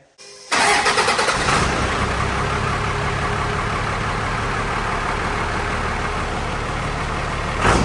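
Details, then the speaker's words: The '41 diesel: brief crank, then it catches at once and settles into a steady, even clatter, revved near the end. Power steering fluid sprays out when revved; otherwise it runs fine. "got it she lives every time I reved it up it was shooting power steering foot at me yes it works it runs it's back it lives"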